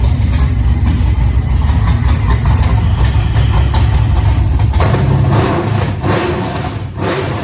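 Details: 1987 Monte Carlo SS with LS swap, 6.0 engine, CNC heads, 42 lb injectors, base tune, first start: deep, lumpy V8 rumble at steady idle with a couple of clean throttle blips; runs strong and healthy.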